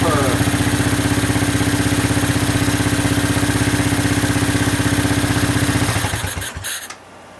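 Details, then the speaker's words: Honda 200SX field-find ATV revived, rear wheels up in the air: an even, steady idle with a regular thump about four times a second, then a clean shutdown; runs well. "i have rear brakes with the pedal and i haven't tried shifting it i've got the rear wheels up in the air just in case but yeah really really sounds good very good"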